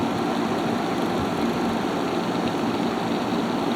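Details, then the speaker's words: Haier ESA410J-RGB 10,000 BTU window air conditioner, evaporator-side airflow test with the fan on low at about 1,500 RPM: a steady, even rush of air over a soft low hum with no rattles, scraping or surging. It is running normally. "Going to go ahead and put it down to low. Pushing out just about 1500 RPM."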